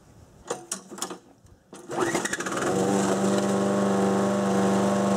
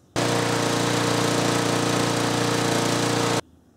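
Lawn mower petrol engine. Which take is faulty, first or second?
first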